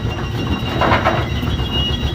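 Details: Brunswick A2 pinsetter turret indexing, checked after adjustments and tightening a bolt and nut. Even mechanical rumble and clatter as the turret cycles, no knocking, grinding or stalling; indexing runs properly.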